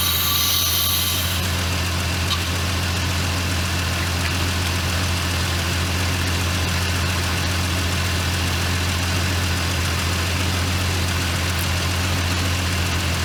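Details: Jeep XJ Cherokee, running after sitting 11 years, with the alternator and belt newly refitted: a steady, even idle with a smooth low hum and no knocks or ticks, the engine spinning freely. Normal idle; coolant is later seen spewing near the thermostat.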